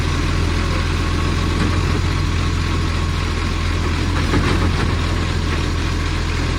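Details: Millicent Commercial Garbage truck SL01074 diesel idling: deep steady drone with a raspy, puffing chuff on each firing pulse, typical of a leaking exhaust joint; big exhaust leak.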